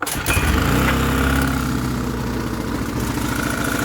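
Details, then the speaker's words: Clark 700 watt generator that ran fine months ago, now started on choke; small engine fires but speed wavers up and down instead of settling to an even governed note; surging, cause unknown, to be stripped down. "That's on choke. It might have cleared, but we'll see. Surging, that's one problem."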